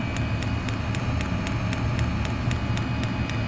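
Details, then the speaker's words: Chinese diesel air heater running on kerosene, cover off: sharp even tick about three or four per second over a steady hum from the fuel dosing pump metering fuel, normal operation before soundproofing wrap. "so we've just took the cover off and there's a little pump ing away tick tick tick tick"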